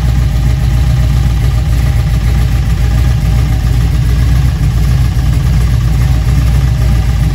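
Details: Junkyard LM4 aluminum 5.3 LS V8 on a stand with a Tick Performance Street Heat Stage 2 cam (229/235, 111+2, +10° overlap vs stock -37°). Loud, deep, steady high idle with a faint lope; the owner thinks it isn't idling down far.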